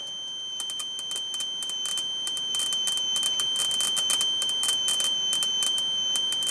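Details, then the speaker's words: 1998 Chaparral, Mercruiser 305 (5.0) V8 carbureted Alpha1 sterndrive running rough/misfiring: static ignition test brushing wire on grounded bracket screw, crisp snapping ticks about three a second over faint whine; lots of healthy spark. "I'm getting lots of sparks. That much works."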